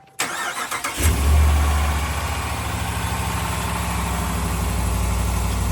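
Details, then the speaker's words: 2021 Ram Limited Longhorn, 5.7 Hemi V8 with eTorque, after replacing cracked exhaust manifolds: cranks, catches, settles into steady even idle with no ticking or puffing from the manifolds; quiet, exhaust leak fixed. "There we go. Quiet."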